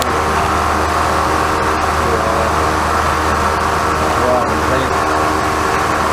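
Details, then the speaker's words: First start of a freshly rebuilt 408 small-block Chevy for a 1972 C20 truck (to be boosted, daily driven), with MSD distributor and carburetor and no tune yet: the V8 fires up and holds a strong, even, loud idle with no knocks or misses. Normal running. "That's first rotation right there. No tune, nothing like that. She went right off. That's good."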